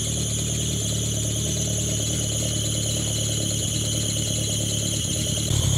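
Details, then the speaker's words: 500hp turbo Dodge Neon SRT-4 with built bottom end, head and stage 3 transmission, AGP 2.8 turbo, first start after reassembly: long crank with steady high squeal over engine noise from a slipping alternator belt. "one of those belts is really [ __ ] I to fix the belt it was just the alternator belt"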